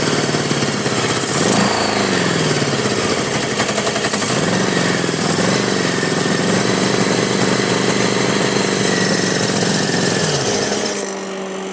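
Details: 1983 Honda Goldwing Aspencade project, first engine run on full choke, needing the throttle held wide open: it catches and roars through uneven throttle blips, never settling to a steady idle; rough running that points to the carburettors. Cause suspected, not confirmed.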